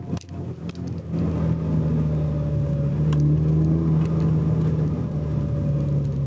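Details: Car just back from dealer said to be fixed: steady low hum over the engine as it pulls away, holding with road speed; noise still present, louder in cabin than on camera, pointing to a noisy transmission.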